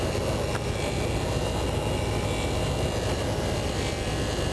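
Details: RV engine at idle with a rebuilt carb, after replacing the leaking main fuel line, the original fuel pump and filter: an even, continuous rumble with a steady hiss, no knocks or misses. Normal idle, though a pump clamp may still drip slightly.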